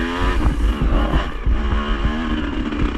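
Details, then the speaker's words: Yamaha IT 200 two-stroke during a vintage hare scramble after a tip-over; choppy idle with a clattery note underneath as revs keep creeping up, not like a lean air-screw setting; owner suspects head studs pulling out of the cylinder, unconfirmed. "worse and worse, and I can tell there's a sound that don't really know what it is, but I know it's not a normal sounding sound from just having a lean setting."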